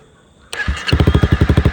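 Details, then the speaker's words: 2018 Honda CBR300R with recharged battery after a no-start (starting fluid on hand, battery had died again): quick crank, fires at once and settles into an even thumping idle about five beats a second. "it started right up again."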